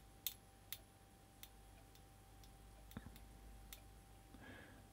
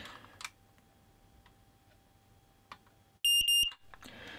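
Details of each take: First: Smoke alarm on circuit under 1000 V insulation resistance (megger) test between line and neutral: faint irregular crackles and ticks, internal arcing that may have damaged it, reading about 1.2 megohms. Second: Smoke alarm after a 1000V insulation resistance (megger) test that made it crackle: three sharp high-pitched beeps on the test button, so it still works and seems undamaged.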